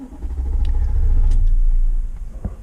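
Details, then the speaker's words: 2015 Nissan Armada crank no-start: starter turns the engine for about two seconds with a low rumble but it never catches, because the park/neutral start signal through the meter never reaches the ECU. "I'm going back to park and I'm going to crank it one more time and I want you to notice that the start signal here never goes from off to"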